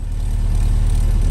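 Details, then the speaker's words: K24-swapped Honda Civic FA5, warm, idling after coil packs were reinstalled following a cylinder 2 misfire: low, steady, even rumble with no stumble or skip; healthy idle. "so far idle's good the car was pretty warm anyway i'll let it cool off like 10 minutes maybe but yeah that's the key right there sounds good"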